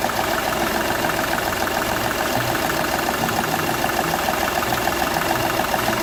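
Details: Seat Ibiza 1.2 TDI diesel at idle with a rhythmic puffing tick through the clatter once per cycle; compression escaping past the first cylinder's injector seal, which was found partly burnt: injector seal compression leak.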